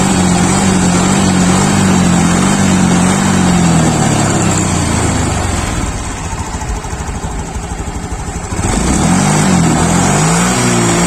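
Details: Honda Beat Sporty Deluxe scooter (year stated 2021), formerly stumbling off idle; now each throttle blip climbs and drops cleanly with even firing. Injector judged still fine. Normal revving.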